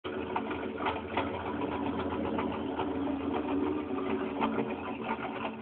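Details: 1993 Chevy 4x4 with 305 V8 idling rough and unevenly, steady hum broken by irregular soft thumps and stumbles; cause not found, owner blames the 305 and plans a 355 with .488 comp cam swap.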